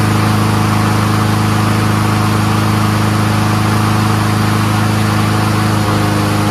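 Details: Troy-Bilt 21-inch front self-propelled mower with Honda engine, after self-propel cable adjustment: even, low thrumming idle holding a constant rhythm with no misses or hunting; normal idle.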